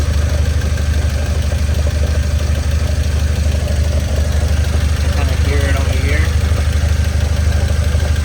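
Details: 1993 Nissan 240SX after a major overhaul, idling and heard from underneath: steady engine with a faint irregular rattle or minor clunking from the gearbox; input shaft or countershaft bearings suspected, transmission possibly damaged.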